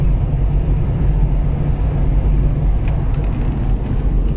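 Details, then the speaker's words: Toyota Land Cruiser Prado turbo diesel, road test after turbo repair for fault code P0046: steady deep drone at highway speed up to 140 km/h, pulling evenly with no whistle, flutter or surging; healthy under load, no codes. "pueden ver la camioneta alcanza sin ningún problema en la carretera hasta 140 km"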